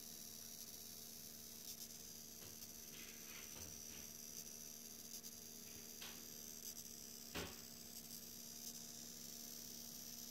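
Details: HDPlex power supply feeding only an R9 Nano via 8-pin in a Core i7 6700K system: thin, steady high-pitched whine with low hum; coil whine, system unstable in demanding games.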